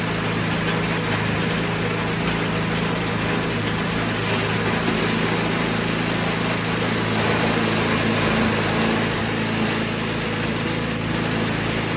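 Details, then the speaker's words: Toro 521 snowblower small engine after carburetor adjustment, carb still dripping gas: steady, even single-cylinder drone at constant speed with no misses or surging; running normally. "well I got that carburetor dialed in it does seem to be dripping gas that's okay"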